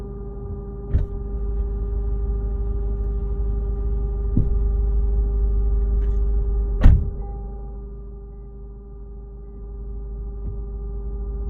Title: Lexus GSF buzzing / humming sound from under rear seats